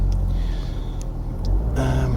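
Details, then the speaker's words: 2009 Ford Mondeo 1.8 TDCi Duratorq QYBA diesel: same fault, knock or miss right at 1500 rpm, uneven lumpy beat with faint tapping; no fault codes in IDS, calibration figures drop to zero just after idle, DPF differential sensor barely working. "still got the same fault so bang on 1500 rpm we've got the knock or the miss um no fault chords registered in ids"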